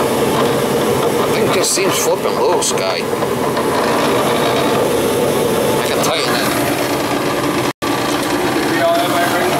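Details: Gas furnace that fires then shuts down with no heat: loud, rough, uneven rattling whir from the inducer/blower instead of a smooth hum; fan blade possibly out of balance.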